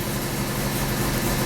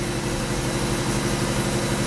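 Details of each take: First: 1994 Alfa Romeo 33 Imola 1.4L fuel-injected petrol, 112,000 km; all four cylinders firing, steady even low rumble with no misses; normal idle. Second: 1994 Alfa Romeo 33 Imola, 1.4L fuel-injected petrol (90 hp), 112,000 km, cold start after sitting. Idle is rough, shaky, lumpy and too high. Misfire from bad spark plug wires and a bad ignition coil.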